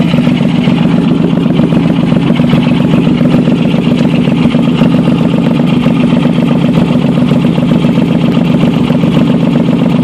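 Steady idle with a quick, uneven puffing tick about three or four times a second riding on the exhaust note, typical of an exhaust leak.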